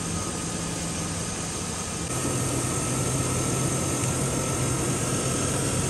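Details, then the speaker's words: 2001 Chevy Silverado 5.3 V8 after the alternator was replaced, charging at about 13.8 V: a steady, even low rumble with no misses or knocks; the idle is much improved, possibly the low battery was the cause; normal idle. "now you can hear that the idle's doing a lot better maybe it was just the battery being so low"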